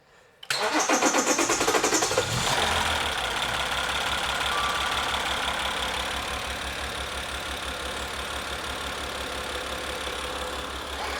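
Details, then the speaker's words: Maserati Ghibli, Copart salvage rebuild combining two cars, first start after a flat battery: brief cranking, then it catches cleanly and settles into a smooth, even idle with no knocks, misses or leaks. Normal start and idle. "How good does that sound? It's running. And there's no leaks. And it doesn't sound like it's got a problem, like engine-wise."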